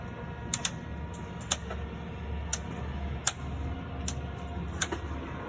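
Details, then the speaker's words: Cessna main gear axle loose where it attaches to the strut through one bolt, rubbing and popping: sharp irregular pops roughly once a second over a low hum; sounded like it came from the cockpit. "okay well it is definitely the axle where it attaches to the strut through that one bolt there so you can hear"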